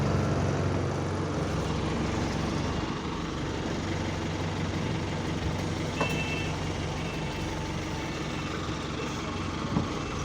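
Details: GAL SE198 diesel bus on route 170, heard from exterior: deep idle with steady low drone and uneven rattly beat; weird engine sound, cause unclear.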